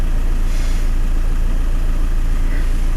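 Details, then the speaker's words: Van engine running after the Vitron is now working: a steady, even idle with a smooth low beat and no knocks or stumbles, a normal idle. "She's quite happy just chugging along, and that is because the Vitron is now working."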